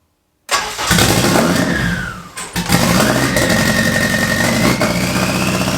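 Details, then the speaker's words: After adding an engine ground strap to the transmission (there had been none to the chassis), the engine cranks, catches on the second try and settles into a steady, even idle with no misses; it runs normally. "it's all boys that's it guys it's on finally man Wow all this hard work it's worked it's it's all paid off"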